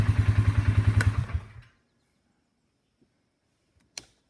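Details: Steady engine cranking at about three and a half beats per second stops dead, followed by a single faint click, as the starter hangs on a bad section (dead spot).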